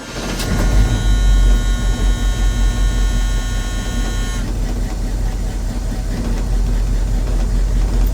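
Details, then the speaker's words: 1983 Chevy C10, 350 small-block V8, during tune-up: deep rumble with uneven lumpy pulse stumbling every few beats because two spark plug wires were crossed; misfire from crossed spark plug wires. "Oh, something ain't right. Y'all stay tuned. Man, I had 2 wires hooked up"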